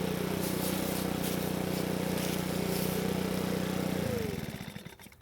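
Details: Makita four-stroke handheld leaf blower, previously would not start (lost carb part), test-run after oil change: steady even hum with no misses or surging for several seconds, then clean shutdown. Quiet at idle and full throttle; runs properly.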